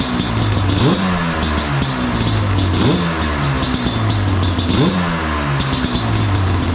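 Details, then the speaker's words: Yamaha Banshee two-stroke twin after a carburetor rebuild and new quarter-inch fuel line, with a temporary foam air filter and not fully warm. Blipped about every two seconds, revs rise crisply but hesitate off idle. Still running lean on the pilot circuit. "It's still a little lean on the pilot. Uh especially when it's not warmed up all the way, but that'll be better when they get the air filter."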